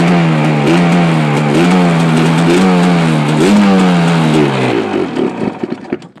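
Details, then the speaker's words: 1987 Suzuki LT500R Quadzilla two-stroke running on quick-start spray with the idle screw not set. Raspy, uneven revving that surges and dies away as the spray runs out, with a good amount of smoke. Rough running; cause not confirmed. "good amount of smoke but it running that's actually the longest I ever heard it run"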